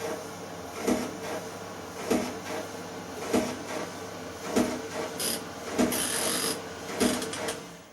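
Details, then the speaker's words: Small 3kg tumble dryer (Creda/Indesit/Ariston type): dry scraping thump about every 1.2 seconds, once per drum turn, over quiet running; rear drum bearing block worn through to the metal, shaft cut through the bearing. "how do you know if the bearings worn well it's good indication is you'll hear a scraping as the drum rotates"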